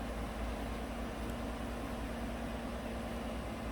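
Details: 2018 GMC 5.3 V8 truck at idle in closed loop, with O2 sensors switching perfectly; it had run rough and misfired on bank 1, traced to a faulty front O2 sensor. Quiet, smooth low rumble with no misses, stumbles or surges.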